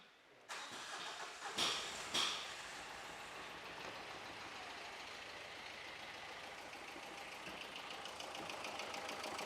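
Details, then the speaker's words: Engine whose timing belt broke, started after the break: cranks and catches, then an uneven, lumpy idle with an irregular beat; one cylinder seems damaged, cause suspected, head to be removed. "അപ്പൊ ഇതാണ് നമ്മുടെ എൻജിന്റെ അവസ്ഥ കണ്ടോ ഏതോ ഒരു സിലിണ്ടറിന് പണി കിട്ടിയിട്ടുണ്ട്"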